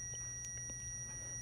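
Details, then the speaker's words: A multimeter continuity test across the alternator fuse of an upgraded, larger exposed alternator gives a steady, unbroken high beep. This shows good continuity with power on both sides, so the fuse is intact. "so if you hear that beeping that's called the continuity test there's good content continuity between the fuse itself it has power on both sides of it is basically what it's saying"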